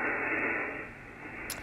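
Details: Harsh steady rushing hiss swamping the amateur radio band, heard on a Yaesu FTdx10 receiver around 3.856 MHz, easing as tuning moves; radio frequency interference from a washing machine motor drive that no noise blanker removes.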